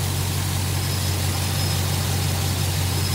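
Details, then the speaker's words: GMC K2500 with an LS-swapped 6.0 V8 and Muncie SM465: a deep, steady idle with an even rumble and no ticking. The previous night's lifter rattle is gone; there is a slight stumble on initial throttle, suspected tuning. "um sounds good runs nice and smooth"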